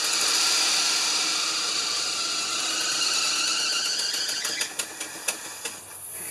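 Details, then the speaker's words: 1975 Lincoln Continental V8 running again after cooling system repair: a loud, steady high-pitched squeal that fades as the engine shuts off, caused by a very loose alternator belt slipping on the new belt. "our alternator is just really loose. Alright, give me a minute. I'm going to tighten up the belt on there and we'll go again. I don't want to hear that thing squealing this whole time or smoke my new belt."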